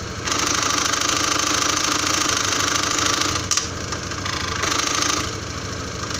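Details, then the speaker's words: First-generation Honda Scoopy i idling while leaning left on the side stand: loud, harsh metallic buzzing rattle from the CVT belt housing, which stops when the kickstarter is pressed down slightly or the scooter stands upright; cause still unknown. "สตาร์ทเครื่องไว้ก็จะมีเสียงดังอย่างที่เพื่อนๆได้ยินได้ฟังในขณะนี้นะครับครับ"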